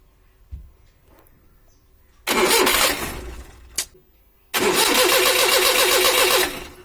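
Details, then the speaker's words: Maruti 800 petrol, won't start on petrol: two bursts of starter cranking, never catches; no fuel out of the petrol solenoid valve, so the solenoid is faulty and being replaced. "இப்ப பார்த்தீங்கன்னா நம்ம crank பண்ணாலுமே நம்மளுக்கு ஃபியூலே வரல இப்ப சொலினாய்டுல இருந்தே fuel out ஆகல"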